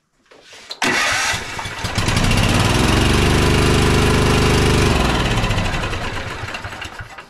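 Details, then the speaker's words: Toro TimeCutter Z5035 V-twin zero-turn mower with power loss, running on only the previously non-working cylinder during diagnosis: it fires after a short crank, then runs with a lumpy, labored beat and loud exhaust. "obviously it still sounds kind of uh kind of labored because it is because I'm only running I'm not running on this cylinder at this point I'm only running on this cylinder which is the one that wasn't working"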